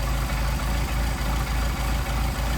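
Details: Mercedes 190SL with Solex carburetors at a smooth, even idle of about 650–700 rpm, with steady firing pulses and no misses or hunting, before carburetor airflow synchronization. Normal healthy idle.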